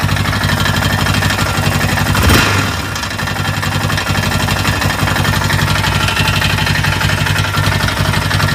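Single at a lumpy idle with a dull knock in time with the firing, about four a second, after a brief blip; source unclear.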